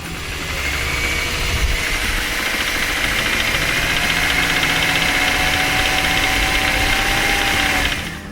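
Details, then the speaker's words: Older Subaru petrol engine, just started, with a deep, steady knock through the idle, diagnosed as a lower-end rod knock rather than piston slap, which would fade once warm; the engine is to be replaced. "in the case of this engine you can hear this deep seated knocking and that's a lower-end rod so this car is going to get a brand new engine"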